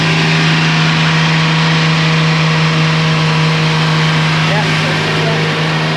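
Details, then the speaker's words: 1999 Formula 280 Sun Sport, newly swapped MerCruiser 4.3L Vortec port engine, after a tune-up and with the idle raised slightly, not under load: steady, smooth, settled low hum with no misses or knocks and great oil pressure. "Beautiful. She is much happier. Look at that. Great oil pressure. Love that."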